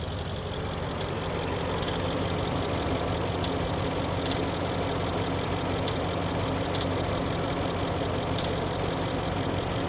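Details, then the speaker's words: 2011 BMW X6 M at idle: rough running with an occasional miss and a light rattle with sharp ticks. Suspected loose timing chain, not confirmed. "To me that almost sounds like a timing chain. Can you hear it kind of rattle? Yeah, she's she's a she's running a little bit rough."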